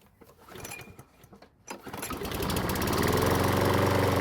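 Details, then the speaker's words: Stolen-and-recovered John Deere pull-start mower, still cold, primer bulb pressed only three times: a couple of pull-cord catches, then it fires in two pulls (versus four when flooded) and settles into a steady, even single-cylinder run; normal start and idle. "so this time it only took two pulls to get it to start versus the four from earlier when i flooded the engine the best part is that it still sounds great so it's time away didn't seem to hurt it"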